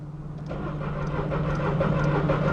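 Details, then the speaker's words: 2002 VW Polo 1.2 three-cylinder AZQ petrol, customer complaint won't start, heard from inside car: steady even starter churn, never catches, warning lights on, engine light flashing. "customer complaint is it won't start so we're inside the car now I'll show you what it's doing on cranking holy all the warning lights are there"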